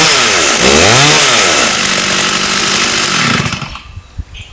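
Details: Stihl 084 AV chainsaw, about 35 years old, after a carburetor tune-up with L and H screws turned fully in and backed out about one turn; it revs up cleanly, drops back, revs again crisp and even, then shuts off, running healthily.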